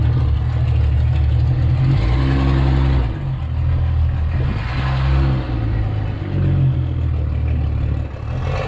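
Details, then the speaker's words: 1962 Ford Falcon, Ford 200 inline six, carburetor acting up: revs up and falls back with lumpy, uneven drone stumbling between pulls; rough running, owner suspects needs tune-up, carburetor cleaning, fuel pump check. "all right y'all in that case sounds like it needs a maybe needs a tune-up or something i don't know i think the carburetor needs to be cleaned out"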